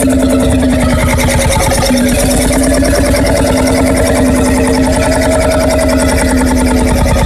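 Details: Freris-built Syros 1950-55 two-stroke 12 hp single-cylinder diesel, wick-started, restored 2014 after about 40 years idle: steady, even chuffing, firing regularly with no knocks or misses; healthy.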